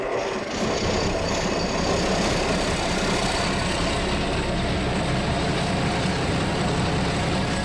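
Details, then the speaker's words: Rebuilt diesel engine with turbocharger and exhaust manifold, first runs after repaint and assembly, oil pressure almost 8 atmospheres (relief valve 6.5–8): steady, even low-rumble idle, no knocks, misses or shaking; runs smoothly; normal idle. "It runs smoothly, idles evenly, and doesn't shake."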